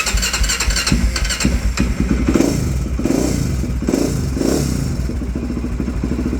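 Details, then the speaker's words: 2004 Honda 400EX single-cylinder quad just started on choke: fast chuffing with uneven beat and occasional stumbles; slight miss at idle, owner suspects loading up on fuel, unconfirmed. "Seems like it has like a little bit of a miss or something. Might just be loading up on fuel. I'm not quite sure."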